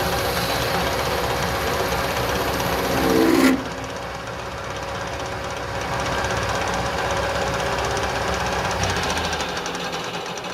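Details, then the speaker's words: Lathe cutting a replacement part for a kerosene Companion camp stove, dry cut: harsh buzzing rattle with faint steady tone, tool chatter starting; needs a bit of oil. "just ever so slightly, so it needs to a bit of oil on that, because you could start to hear the chatter."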